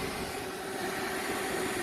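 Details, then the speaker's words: Original inducer motor, removed from the furnace unit, powered up on its own and still running; steady mid-pitched motor hum with fan rush where it should be dead, the motor apparently backfeeding power; cause not identified. "So we somehow have an inducer motor that is backfeeding inside, and yeah, somehow g"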